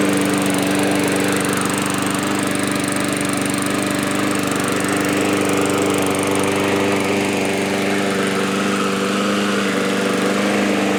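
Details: Yard-Man push mower, previously surging after sitting at least two years, after carb cleaning, new parts and blade sharpening: constant steady drone at one speed over ten seconds, no hunting or surging; smooth and healthy.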